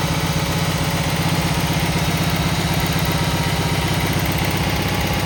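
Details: Cub Cadet 782 lawn tractor single-cylinder after choke cable repair, started with choke: even thumping at roughly 158 beats a minute, steady with no stumbles; healthy smooth idle.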